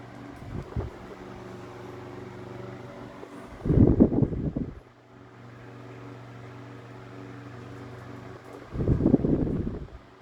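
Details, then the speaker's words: Mid-late 1950s GE Standard strap fan, 12-inch oscillating desk fan F14S125, on high with oscillation engaged: steady motor hum with a whooshing swell about every five seconds as the head sweeps fast; normal oscillation. "High. Definitely a fast oscillation. Way cool."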